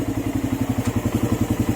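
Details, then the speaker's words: Suzuki Raider 150 idling after a clutch housing and lining change (an earlier housing was oblong and had to be machined again): steady even idle thump, no clutch-side rattle; engine now quiet, all good. "Ayan, okay na. Ayan, tahimik na yung makina nyo."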